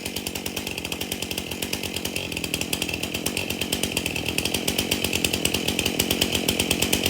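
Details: Stihl MS271 chainsaw, hard to start, suspected bad fuel; after tank found clean and fresh mixed fuel added: quick even firing pops, speed climbing smoothly without stumbling or misses; runs pretty good.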